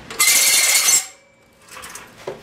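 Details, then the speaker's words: Roadside-found manual reel mower, reel spun by hand: high raspy scraping with a thin squeal, then dying off; reel rubbing the bedknife, metal on metal. "don't think it's supposed to sound like that so we're gonna put this on the bench and see if we can learn a little bit about reel mowers"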